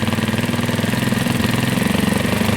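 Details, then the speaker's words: Carbureted Janus 250 single-cylinder motorcycle that should be at full operating temperature: quick, even thumping well above the 1,500–1,800 rpm idle target. The idle screw is set too high; it is then turned back down. "your engine's gonna try to rev up on its own obviously you don't want that so I'm going to turn this back down there you go how you adjust your idle on your 250 carburetor"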